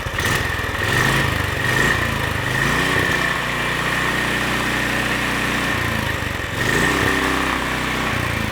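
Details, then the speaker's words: Predator 420cc single-cylinder engine newly swapped into a Polaris Hawkeye 300 4WD ATV, started in neutral: brief rev then a quiet, steady idle with even firing; healthy, very quiet running. "Hey, it's really quiet, dude."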